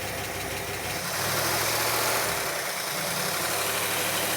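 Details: Barn-find 1960s Bristol 408 with Chrysler 5.2 V8, revived after storage: a quiet, even V8 idle with a smooth, steady burble and no knocks, misses or hunting; normal idle.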